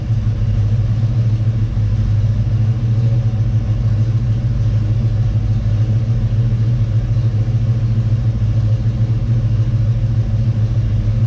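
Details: Chevy Nova with a 327 small-block V8, warmed up and idling slightly high at about 1000–1100 rpm. A steady, even low rumble with no misses, knocks or ticks: normal, smooth idle.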